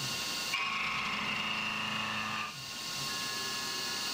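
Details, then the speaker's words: CNC milling an AR15 high rail gas block, bore interpolation with code modified to cut radial overloading that caused chatter, worst-case engagement just over 0.070 inch: steady clean high cutting tone with no chatter, pitch dropping as the tool exits. "But I have the worst case scenario at just over 70 thousandths. But this definitely sounds better."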